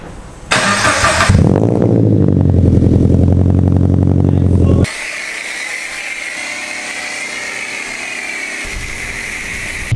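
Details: Subaru BRZ on air suspension, exhaust crushed by bagging and now repaired and refitted: engine cranks briefly, catches cleanly and settles into a steady, even idle with no leaks, puffing or rattles; normal start.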